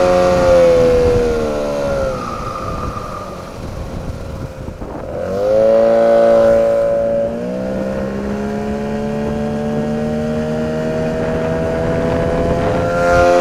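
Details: 9.8 outboard motor with a 'brake-like' whistle whose cause the owner is asking about. A thin, steady squeal rides over the engine note and shifts as revs change: whistle under load, source unclear.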